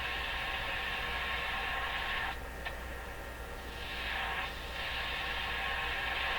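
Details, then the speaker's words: Canadian Crosley 12B radio under repair at the detector stage, tuned around 1320–1400 with no antenna connected, gives a steady hiss and crackle that dips as it is tuned; interference picked up from a second nearby radio on shortwave. "So it's picking up something. There's nothing connected to the antenna yet. How much you want to bet it's coming from this radio? Yeah. So there's something coming out of this radio."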